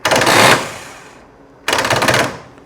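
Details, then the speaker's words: 1994 Harley-Davidson Softail in neutral, ignition on, starter pressed: two bursts of rapid rattling clicks, a failing dragging starter rather than jackshaft or clutch basket; the starter is to be replaced. "now with that clicking noise anytime you get that clicking noise it's your starter it's not the Jack Shaft or the gear that goes out plunges out and it's not the clutch basket anytime you hear that click click clicking sound like that that is your starter"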